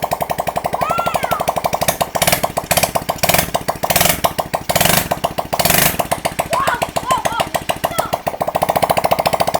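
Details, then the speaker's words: Kids' 110cc quad, first start after a full rebuild, rear lifted so the throttle can be blipped with the wheel spinning: a quick, even popping single-cylinder exhaust that revs freely and runs cleanly. "Locky came in cuz he could hear it starting. He lifted the back end up so that allow me to pull on the throttle just so we can give a few revs and get the wheel spinning."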